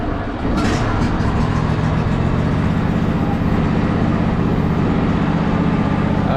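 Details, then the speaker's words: Husqvarna riding mower with hydrostatic transmission, after a fuel filter change and new pulley bearings: an even, steady engine drone with no grinding, whining or knocking. The engine runs smooth and the transmission is quiet; normal running. "yeah no noise at all butter let's try to drive it these bearings the thing was awful awful earrings like buttery smooth too it's got a little bit of slop in it engine runs super smooth though trans is nice and quiet now"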